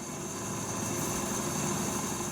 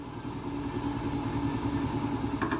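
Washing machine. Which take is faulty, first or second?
second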